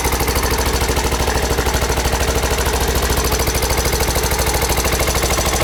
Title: Honda XR 600 R 1992 timing chain noise